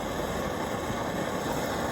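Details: 1945 GI pocket stove with eyebrow burner, valve cranked fully open (its only setting) after warm-up: even, steady roar with no sputtering or surging; burning cleanly.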